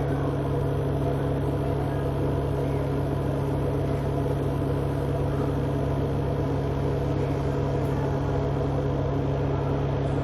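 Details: Whirlpool Ace XL 9.0 kg semi-automatic washing machine: loud, steady low rumble with a deep hum and rough churning during spin, from a faulty drum needing replacement.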